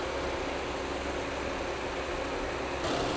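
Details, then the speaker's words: Rebuilt Audi S5 petrol engine with upgraded 034 Motorsports piston, shortly after cold start while still misfiring slightly: steady idle with fast, light ticking from the normal high-pressure fuel pump, louder with the upgrade. "Sounds super healthy. That ticking that you're hearing is the high-pressure fuel pump. They all sound like that."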